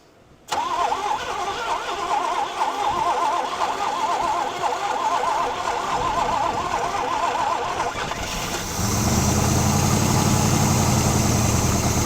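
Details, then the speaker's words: 1980 Pontiac Firebird 301 V8, sitting 17 years, on gravity-fed fuel: about eight seconds of cranking, then it catches into a loud, deep, rough rumbling idle; many vacuum leaks and the carb needs ports plugged. "whoa that was loud all right nice thing is it's running now"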